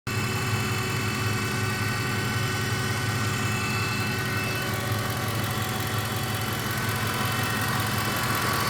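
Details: Newly acquired Ford F150 4x4 idling with a steady hum and faint, irregular clicks around three a second; cause of humming and clicking unknown.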